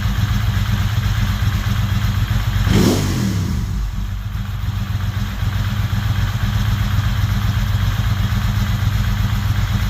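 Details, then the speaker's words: Ducati 916 after replacing the fuel pump quick-connector O-rings to stop fuel leaks: steady, deep, even twin idle with one brief whoosh, though idle is a little slow before the pilot screws are adjusted; normal idle. "so can you hear are the idol a little bit slow not very good deing person Idol's a little bit slow"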